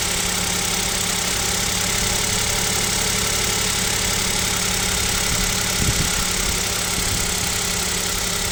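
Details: Kia Picanto 2, 1.0 G3LA engine, cold idle at about -7°C: light, uneven tapping over a steady drone; suspected piston knock, owner asks if overhaul is near, cause not confirmed.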